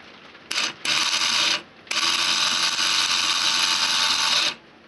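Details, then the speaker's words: 1987 12 V alarm bell from a CQR vented type C bellbox, cover off: motor drives a cog turning the striker mechanism, a buzzy rasping whirr in two short bursts then a steady run; operating normally. "this mechanism starts it's actually moving the bass plate without it and all that is is the motor in there is driven by the cog and it's just turning this mechanism that's literally all that's happening"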